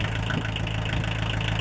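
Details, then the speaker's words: 1980s Kubota L345DT 4x4 34hp diesel tractor on off-road diesel, started in cold weather with a block heater, warming up. Steady low chug with even firing and normal injector clatter, no misses: a normal, healthy idle. "As you can hear, it sounds pretty decent, runs pretty decent."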